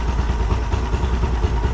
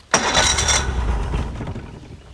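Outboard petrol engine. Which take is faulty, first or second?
second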